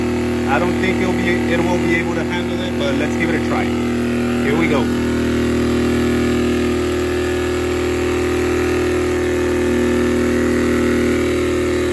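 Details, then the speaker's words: Sportsman 1000 W max / 800 W running inverter generator in economy mode powering a space heater on medium: hum shifts and strains around five seconds, then drops off; handled it briefly, then overloaded and shut off. "yep it was able to handle it for a little bit but it shut off"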